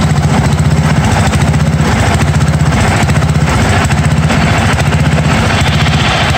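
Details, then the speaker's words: 1982 John Deere 108 mower, first start: small single thumps unevenly with a ragged surge about once a second. Runs rough; jet adjustments did not help and owner says the carburetor needs replacing. "definitely gonna need a different cobbler this one of a kind of screwed I try to mess around with the Jets everything"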